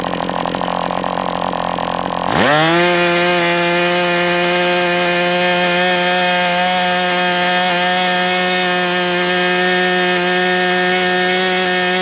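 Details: MDS 68 FS Pro four-stroke glow engine during break-in on test stand, across cold and hot runs, carb retuned after idle screw was found tampered; catches and climbs quickly to steady high even buzz, no surging or sagging; normal break-in run.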